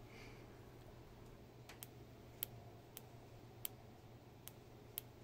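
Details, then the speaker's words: MAC electronic boost control solenoid bench-tested off a 9-volt battery, applying 100% duty cycle while air is blown through it: sharp crisp clicks over a quiet hum as the valve closes and stops outward airflow. Normal solenoid operation. "hopefully you could hear that when i applied it it applied 100 duty cycle to this and it stopped the air from flowing outwards closing the valve"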